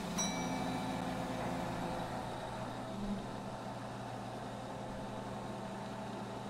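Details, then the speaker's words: Old gas pumps, a clock-face pump and a Gilbert and Barker 80, running, low steady motor hum at even pitch with fuel flowing, no stumbling; the Gilbert and Barker has a bigger, larger-diameter nozzle and flows well; normal pump running. "the GNB ad has a bigger nozzle larger diameter and it's flowing real well"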